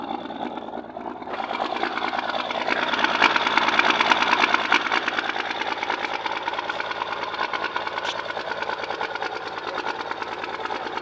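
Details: 1st gen Cummins six-cylinder diesel with a loud, uneven rough-idle clatter that rises briefly then settles but stays rough, right after the injection pump was re-sealed; cause unknown.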